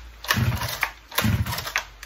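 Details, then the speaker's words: Stihl 009 chainsaw after fuel line refit, broken spring removed, re-primed: small two-stroke catches in two short ragged bursts of firing, still unsteady; now starts and runs, previously wouldn't run at all. "Fired. So far, better than last time. It didn't run at all."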